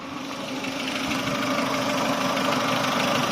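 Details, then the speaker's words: Chevrolet Aveo after sealing a leaking pipe with epoxy for code P0507 (idle swinging high): idle settles just under 1000, around 800 rpm, steady and even with no hunting or surging, and the engine warning light is gone; normal idle. "ทุกคนจะเห็นว่ารอบเดินเบาจะลงมาอยู่ที่ประมาณไม่ถึงพันนะครับโยน800บาทนะครับอันนี้ถือว่าเป็นปกตินะครับของรถ"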